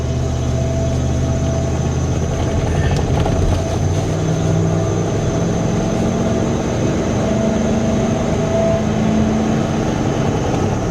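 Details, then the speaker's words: 1999 Dodge Ram Sport, abandoned six years, on its first interstate drive. There is a heavy low drone and rough road rumble at highway speed as the truck shakes violently. "oh she shakes like a son of a gun oh my goodness oh wow that is awful"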